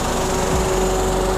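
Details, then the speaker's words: 2021 Daihatsu Ayla D manual, 1000cc petrol engine, ex-company auction car, engine bay inspection: steady, even idle hum with no stumbles or missed beats; healthy normal idle, not limping. "kita udah di ruang mesinnya wajar ya gak dokter gini bukan pincang Karena biasa ya 1000cc mesinnya"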